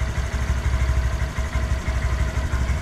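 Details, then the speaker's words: Wrecked 2018 Honda Grom being rebuilt, first start after fitting a new battery because the old one read about 0.1 V, oil checked: the small single settles into a steady, even low putter at idle with no knocks or misses. "a little bit of power not a big kicker is will it start sounds good"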